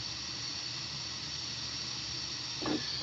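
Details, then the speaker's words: Porsche 944 intake system pressurized with under 5 psi for a leak test: steady airy hiss over quiet shop background; air is escaping at the idle stabilizer valve (ISV). "All right, I didn't even add 5 psi. And you can hear the ISV leaking there."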